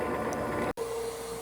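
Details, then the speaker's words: New iRobot Roomba Plus 515 vacuum-mop combo at its dock washing mop pads at cleaning start: steady clean-water pump hum, brief cut-out, then the dirty-water pump kicks on with an even tone; normal mop-wash cycle. "It's going to wash the mop pads. You can hear kind of a water pump, and then you hear the dirty water pump kicking on."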